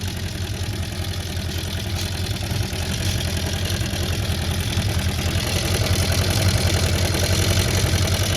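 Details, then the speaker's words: Honda CB400F Four restoration, off road since 1983, first start: steady even exhaust pulse at idle, running on all four cylinders; slight tappiness suspected from unadjusted cam/timing chain, airbox not fitted properly, electronic ignition. "Yeah, running on 4 alright. Sounds alright."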